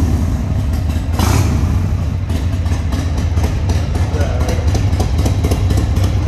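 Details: Restored 1995 Harley-Davidson Sportster 1200 after a full service with new tires and suspension: V-twin catches and settles into a loping, uneven-firing idle with a few throttle blips; revs cleanly and sounds healthy.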